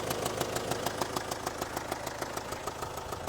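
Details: Land Rover Discovery Sport Ingenium diesel, smoking while being moved: quick, even tapping about three per second over the idle, steady throughout; abnormal idle tapping, cause not yet known.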